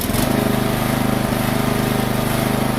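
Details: Kohler mower engine after carburetor choke adjustment; it previously needed full choke and stalled when throttled back: steady, even putter with no surging or stumbling, holding speed cleanly; running normally after the fix.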